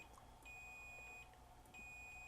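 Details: 1999 Toshiba MV13J3 TV/VCR with no power: multimeter continuity test across a switch. A clean high beep drops out and returns crisply with each press, so the switch contacts are good, though they might benefit from contact cleaner.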